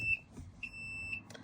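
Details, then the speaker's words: Thor Four Winds RV, interior just after the battery switch inside the entry door is turned on: clear high-pitched electronic beeps, a short chirp then a longer tone, as battery-powered systems such as the front screen wake. Normal power-up. "Once you've turned the battery on, you'll hear some beeping um as things start to turn on in the RV that are controlled by the battery."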